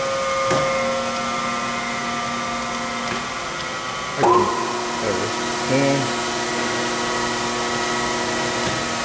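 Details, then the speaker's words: Chevalier FSG-1236AD 3-axis hydraulic surface grinder, spindle run with the hydraulic oil off and the big wheel fitted: steady, even hum with stable tones, no knocking or rough grinding; the spindle runs smooth and healthy. "kind of listening to it up close widening down but it sounds nice"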